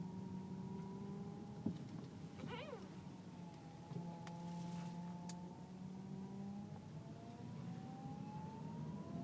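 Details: Car whining when turning left or right below 10 mph, less at high speed; power steering fluid full, no leaks or foam, slight reservoir jump, belt normal: steady mid-pitched whine wavering with steering; pump or rack suspected, unconfirmed.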